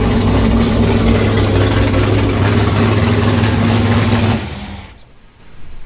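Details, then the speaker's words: 6th-gen Camaro V8 with new cam, heads and intake, dyno-tuned with valve lash set: loud, lumpy, galloping idle with strong low rumble, even and steady, louder and rowdier than the previous engine; normal healthy cammed V8 idle. "Dang, that's a little bit louder than the last engine. Yeah. Sounds rowdy."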